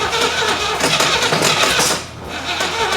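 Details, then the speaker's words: 1980/1981 Camaro Z28 4-speed being revived, choke held open, fuel poured into the carb, distributor just turned counterclockwise (more advance): uneven, labouring crank with ragged bursts that never catch cleanly and a sag midway; owner suspects ignition timing still way off. "Judging by that cranking, I think the timing's still way off."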